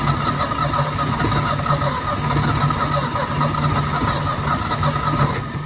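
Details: 1972 Ford F-350 auction truck on a chilly day, bowls full: catches and runs unevenly a few seconds, then sags and dies; not pumping fuel, and a frozen part found afterward needs penetrant.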